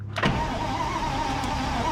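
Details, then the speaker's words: Abandoned 1959 Chevrolet truck with a Buick nailhead V8, hot coil and fuel poured in: steady starter whine with a dull churning underneath and no catch; spark and firing order are good, and a weak battery is suspected for the lazy cranking. "Battery might need more oomph. I say she just don't seem to be doing a real hard job on the whirling and twirling."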